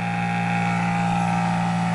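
Steady, even high-pitched whir with a constant tone and no knocks or rubbing; the motor is spinning freely without load.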